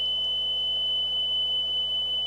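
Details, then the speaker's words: Nakamichi CR-1A cassette deck under repair playing a 3 kHz test tape: a steady tone reads 3.05 kHz on the scope, so the tape speed is slightly fast and is adjusted at the motor's rear trimmer; the speed may drift with motor temperature. "it's a three kilohertz tone and what are we reading here 3.05 so we got to turn that down a little bit"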